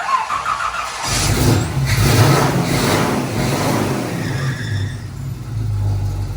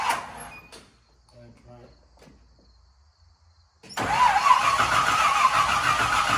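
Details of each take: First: 1968 Chevy K10 pickup, first start-up after 327 V8 engine swap, battery a little low: cranks briefly, catches and settles into a steady, even V8 idle with light throttle blips, oil pressure coming up; normal healthy start. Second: 1968 Chevy K10 pickup with a swapped-in 327 V8, first start attempt with 12 volts confirmed at the coil: after a pause the starter turns the engine with a sluggish, steady churn of three to four pulses a second; slow cranking from a low battery.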